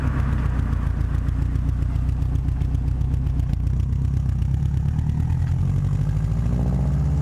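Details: Subaru WRX at idle after fitting a downpipe-to-cat-back exhaust flange adapter to cure a leak: steady, even low burble with no puffing or ticking; exhaust sealed, normal idle.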